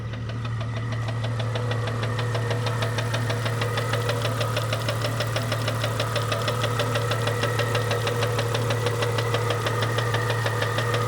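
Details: 1998 Jeep Cherokee XJ 4.0L that developed a noise overnight, still present after lifter replacement, check engine light on: steady light tick about three per second at idle; doesn't sound like rod knock or piston slap, origin unclear; engine tick.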